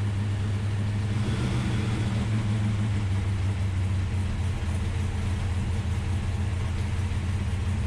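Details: Ultima GTR V8 supercar sat 7 years unrun in a warehouse, cold, no coolant yet, oil pressure confirmed: deep steady rumble at even idle with no misses or knocks; running cleanly, no apparent injector problems.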